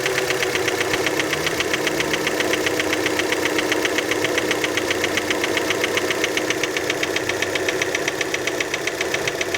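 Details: Cold-running petrol engine on a Fiat Panda just after start: steady, fairly regular metallic knocking over the idle; cold-start engine knock, cause uncertain, many suspect piston skirt (piston slap).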